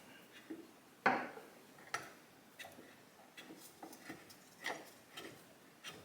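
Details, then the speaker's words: 1989 Kawasaki KX80 engine during a rebuild, turned by hand in neutral. Faint scraping ticks come once per turn because the flywheel is not fully seated and rubs against the stator coil. "Yeah, I was trying to figure out what that noise was. It's because the flywheel isn't on all the way, it's rubbing against the coil."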